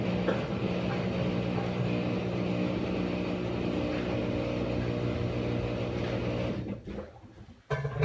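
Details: Maytag Bravos MVWX655DW1 washer at the end of a cycle: loud, steady, buzzy low drone for several seconds, then dropping away and cutting off; loud noise, cause unknown.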